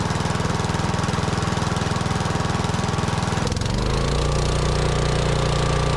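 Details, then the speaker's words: Lincoln Weldanpower AC/DC welder-generator with a Briggs & Stratton 16 hp engine, stored outside three years: steady thumping run, then a jump to faster high idle; it then starves and shuts off. Rust found in the fuel tank causing fuel starvation. "I had it running and it would it would run a fine it would pick up the high a little and then it would act as if it was starving from Fuel and it would shut itself off"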